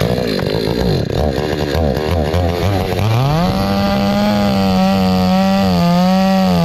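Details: Hyundai 650 chainsaw after repair for starting then stalling, adjustment opened slightly for fuel starvation: revs from a rough low idle to a clean steady high-speed howl without stalling; running properly.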